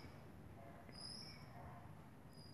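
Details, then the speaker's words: Recumbent trike hydraulic disc brake: high thin squeal in short bursts over rolling rumble when stopping, coming from the brake pads. "ingay na ito mga kaibigan ay nanggagaling sa brake pad ng iyong brake."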